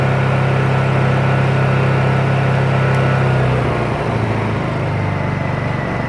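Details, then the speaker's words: New Honda EU2200i inverter generator converted to propane with a Hutch Mountain kit, never run on gasoline: steady, very quiet even hum with no misses or surging, dropping smoothly to lower speed in eco mode; normal running. "so all right there's flat mode i don't know what's going to sound like on camera but it's very very quiet"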